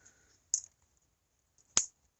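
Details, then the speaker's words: Electric fence insulator in freezing weather: sharp, dry ticks about a second apart over near silence as frost on the insulator lets the fence pulse arc across. "see that there's enough frost on that insulator that it's arcing through not much I can do about that"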